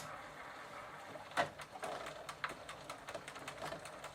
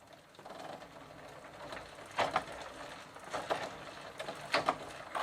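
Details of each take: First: Sturmey-Archer AB 3-speed internal gear hub, soaked with WD-40 to soften old lithium grease, turning on the bench in third gear position: light, rapid clicking of the pawls engaging normally. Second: Sturmey-Archer AB 3-speed hub, cable detached, after WD-40 to soften old lithium grease, third gear position: uneven clicks and ratcheting rattles about four a second as the wheel turns; pawls clicking, chain loose and worn, cause suspected.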